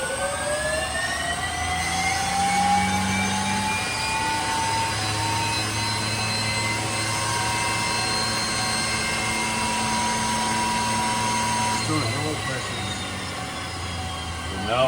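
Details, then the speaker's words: 2010 Camaro jet car, Boeing T50 turbine with 700R4: starter button pressed without starting; rising whine as starter spins shaft up, pitch climbing then settling steady with no light-off; turbine starter motoring only. "I'm not starting. I'm just going to hit the starter button."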